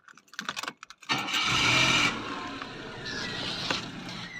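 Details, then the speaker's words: 2003/04 Daewoo Matiz (Chevrolet Spark) start after the muffler tape repair, heard next to the car and underneath: short crank into a quiet, smooth idle with no blowing or puffing; significantly quieter than before the repair. "this is what it sounds like next to the car and then underneath as you can tell it is significantly quieter than it was before the repair"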